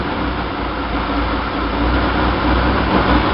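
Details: 1966 Chevy Sportvan with a stock 230 engine and a newly fitted Weber 32/36 two-barrel carb on the stock manifold: a fast, steady high idle with a rushing tone that grew louder as the throttle closed, pointing to a vacuum leak.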